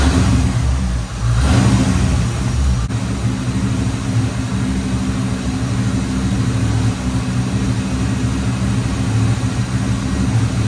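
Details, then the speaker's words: 1989 Chevrolet Corvette C4 V8, sat for years, with a misfire: slightly uneven, lumpy idle; ignition timing suspected to be off, checked with a timing light. "so it's kind of running a little little funny so I thought well throw a timing light on it and see"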